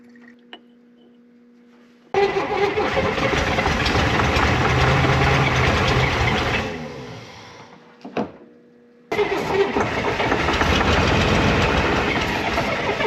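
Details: 1965 Corvair 110 hp engine after a starter replacement, pack-rat damage repairs and confirmed spark; the starter cranks steadily, the engine catches briefly and fades, then cranks again without running on its own; the owner suspects the carburetors need cleaning.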